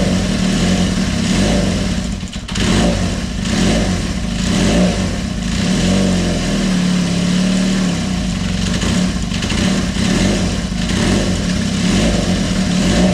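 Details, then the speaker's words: Kawasaki KZ400 started on choke a week after head gasket leak repair: catches and settles into an even, steady beat, rising and falling cleanly with throttle blips; normal running. "And we're going to turn it on. Give it a bit of choke. And away we go. Everything should be all cleaned up and ready to go."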